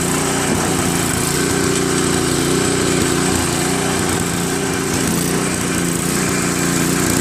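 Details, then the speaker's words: Craftsman 522 snowblower with Tecumseh engine, sat for years: single-cylinder engine runs steadily, slightly uneven, on heavy choke. It stalls with choke at middle, runs best at 3/4, idles on full run but falters on throttle-up; likely dirty carburetor. "Once the choke is placed in the middle, it stalls out. It only runs on 3/4 choke. I mean, it runs well on 3/4 choke."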